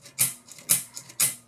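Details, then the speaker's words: Polaroid SX-70 Model 1 during a full overhaul, after white lithium grease on the pick arm rails: three crisp clicks about half a second apart as the pick arm travels freely back and forth. This is the correct sound; without it the pick arm is sticking. "that noise that clicking sound is the pick arm traveling backwards and forwards and that's the noise that you want to be hearing"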